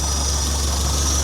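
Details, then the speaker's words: 1966 GAZ-69M cold idle just after an easy start, heard from outside the cab: even, settled low idle with a steady beat and no knocks or misses; normal idle. "Like I said, it just starts so easy, which surprised me."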